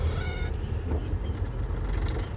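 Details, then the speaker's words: Clutch pedal/clutch actuator squeak: brief high squeak over low rumble as pedal is worked; returned after a service where it was apparently only lubricated. Cause suspected, not confirmed. "Quando eu fiz a revisão lá, eu pedi pra dar uma olhadinha aqui nesse pedal, nesse barulho aqui. Mas eu acho que só passava um lubrificante só e mais nada. Agora voltou o barulho de novo. E é horrível."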